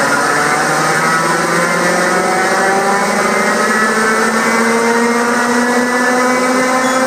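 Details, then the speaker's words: Purcell Mountain Lodge hydro Pelton turbine generator restart, valve opened toward 7.7 turns full open after low-power check (suspected nozzle ice, debris or air); steady water rush with faint tone rising as wheel starts to turn; normal spin-up. "It's got to take a while. This is starting to turn. Watch it."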